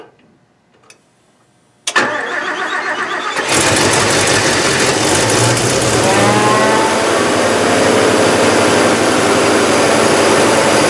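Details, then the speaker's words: 1969 Mercedes-Benz 300SEL 6.3 V8 during restoration, exhaust pipe refitted and everything bolted back: quiet, then starter catches at about two seconds and engine settles into smooth, even running; normal start and idle. Heater core found leaking coolant once warmed up. "But let me see if I can get it running, and you guys can hear it. You can see how much better it is."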